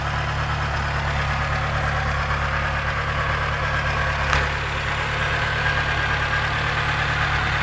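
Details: Mitsubishi 4G13 engine at idle with an uneven, light knocking about three times a second in the low rumble; a valve clearance problem is suspected, not confirmed.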